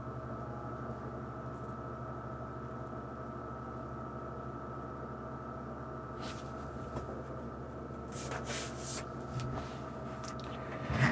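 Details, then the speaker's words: GameStop refurbished Xbox 360, reassembled after its thermal paste was replaced with Arctic Silver 5: a low, even fan hum with a faint steady whine and a few handling clicks, far quieter than before: normal cooling fan noise. "Fan is nowhere near as loud."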